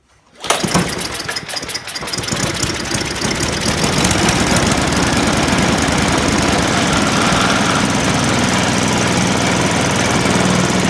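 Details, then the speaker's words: MTD Yard Machines 24-inch snowblower, Tecumseh 5 HP 195 cc engine, after carburetor replacement, primed and choked: fires quickly, stumbles briefly on choke, then settles into a steady, even run; working normally. "Since the snowblower seems to be working, it's about time to put a chute on."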